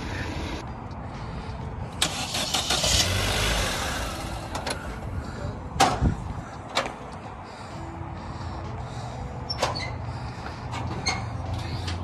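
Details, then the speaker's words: 2014 facelift Vauxhall/Opel Corsa VXR, damaged Copart purchase, just delivered: short crank, then the engine catches and settles into steady running with no misses or knocks amid outdoor noise; starts cleanly. "well it started that's a good start already"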